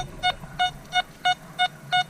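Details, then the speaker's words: Metal detector (Nokta/Makro Simplex+ vs XP Orx test, factory settings) on buried targets. Silver dollar at 11–12 inches reads VDI 98, 97, 98; shield nickel at 8 inches reads 60, 65. Crisp, even mid-pitch repeating beeps give a solid target tone. "Hits it spot on, 98, 97, 98. The shield nickel at 8 inches is hitting that spot on, 60, 65."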